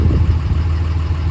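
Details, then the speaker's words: Valair HD organic single-disc clutch in a G56 manual, idling in neutral: smooth, deep, even idle with no clutch rattle or chatter and it sounds stock; any slight intermittent chatter is barely noticeable. Normal idle, no clutch chatter. "so one of the things I like is you don't really get all that chatter that you get in the Dual discs with this Le disc I'm actually surprised by that I thought I'd hear a lot of chatter uh at idle in neutral"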